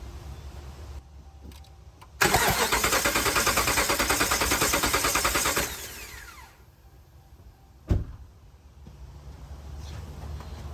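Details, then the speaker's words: 2010 Ram 1500 5.7 Hemi compression test, cylinder 1, coils and injectors unplugged, fuel rail removed: about three seconds of steady, even cranking with regular chug, no stumbles; gauge reads 193, good cylinder compression. "what do we have 193 that's quite a lot of compression let's release the pressure"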